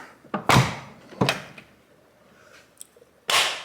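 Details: Chrysler Sebring Convertible door swinging: sharp thunks and horrible clinking clicks from dry check strap over its detents; fixed by removing door panel and greasing the mechanism.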